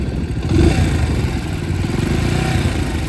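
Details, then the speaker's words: 2022 Bajaj Pulsar NS 125 single-cylinder at about 35,000 km: light ticking chatter over the exhaust at high rpm once warm, started after a timing chain job and service 1.5–2 months earlier. "इसके अंदर जो issue आ रहा है वो आ रहा है थोड़ी सी आवाज का। कुछ अजीब सी आवाज कर रही है। बाइक को चलाते टाइम जब हाई आरपीएम पे लेके जाते हैं मतलब थोड़ी सी गर्म हो जाती है। उसके बाद यह आवाज आती है।"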